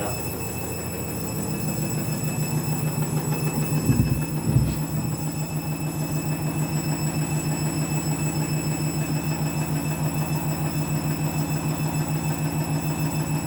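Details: Candy washing machine on spin with new clothes: deep pulsing rumble about twice a second settling into a steady throb; abnormal, cause unclear.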